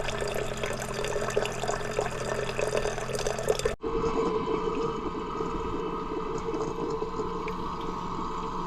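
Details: SimPure Y7P-BW reverse osmosis system during its start-up flush cycle: steady rushing water and hiss with a brief pause partway, then even flow again. Normal flushing, which ends with a pure-water shortage warning.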